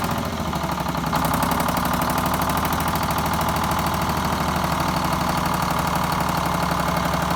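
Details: 74-year-old Greyhound bus diesel, started after fuel feed work to injectors and new start-stop box wiring, checking for leaks: steady, even idle with a firm beat of about four pulses a second, no misses or stumbles; fuel feed running clean.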